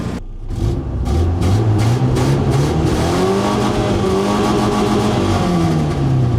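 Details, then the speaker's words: Ford Ranger 2.5 with 5-speed manual, revved: sharp puffing ticks ride on the exhaust and speed up with revs, sounding cammed though it isn't; badly leaking exhaust manifold, possibly why it's sluggish. "It feels fine, other than the manifold leak that it has. I'm sure you guys heard it. It is leaking pretty badly."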